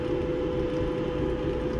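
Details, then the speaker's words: Maytag Bravos high-capacity electric dryer after its loud squeak was fixed by cleaning an ungreased idler pulley: a smooth, steady drum hum with no squeak or chirp. It is running normally. "go ahead and run it as you can see no more squeaking"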